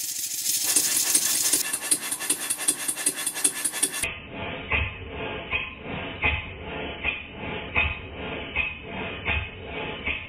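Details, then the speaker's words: Model steam engine for a Stuart 504 boiler plant, after valve timing reset for earlier admission before dead centre: steady chuff-chuff beats, evenly spaced, runs faster and more powerfully; valve timing sounds right. "it sounds entirely different it's much more powerful it runs faster and altogether much better and as you can hear in this clip when i stop speaking the beats are very even"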